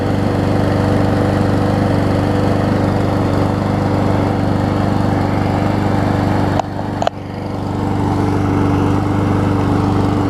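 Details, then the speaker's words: Troy-Bilt mower with a donor Honda engine, starting up. Surges a little until it catches, then holds an even single-cylinder drone with one brief dip; owner felt the rpm seemed low. Normal running. "Surges a little bit until it finally catches. There we go."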